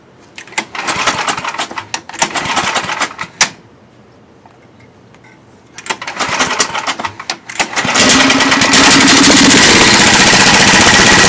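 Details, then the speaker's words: John Deere 1026 snowblower, 10 hp Tecumseh engine, warm weather, windy: rough sputtering as it catches then steady even drone, no knocks; runs, drives, auger works, stator tested good. "It does run. It runs and drives, and the auger works."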